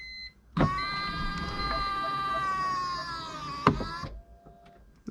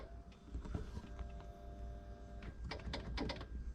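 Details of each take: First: 2005 BMW E46 325Ci convertible, after replacing the plastic top latch motor gears, key on with top closed: smooth electric motor whine for about 3.5 s ending in a latch click; latch works, though the hydraulic pump seems too weak to open the top. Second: 2005 BMW E46 325Ci convertible after replacing the top latch motor's plastic gear: latch now works, but a steady electric hydraulic pump whine runs with no top movement; the pump is assumed not to make enough pressure, unconfirmed.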